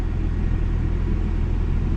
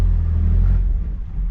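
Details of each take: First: 2001 Toyota Tacoma at a junk-car auction, 247,000 miles, no warning lights: low, even petrol rumble with a steady pulse, no knocks or misses; normal idle. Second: 1997 Toyota Tacoma at salvage auction, 211,000 miles, no title: engine catches with heavy low rumble then sags and dies within about a second, dying again even with foot on the gas.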